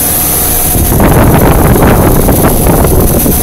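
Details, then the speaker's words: 1990 2.5-ton Tempstar heat pump condenser in cool mode at about 90°F. Rough, rattly roar with a gritty, hacksaw-like churn over the fan rush while blowing hot air. The unit is slowly dying. "spinning away out hot air blowing on me don't you there we go but he is crap like a hacksaw in here this thing will be alive much longer it's slowly dying"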